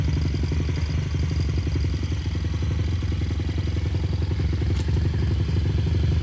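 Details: Brand-new 160 cc pit bike engine being prepped for track use: quick, even firing beat with a light buzzing rattle from a missing cover vibrating; engine itself healthy, normal revving.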